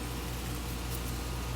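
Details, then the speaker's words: Three-ton "soft sound" condenser, recorded with the camera right beside it: low, even hum with a soft steady whoosh and no rattles or squeals; running quietly and normally. "since the big one is running now let you hear it there's also a soft sound and it's a three-ton"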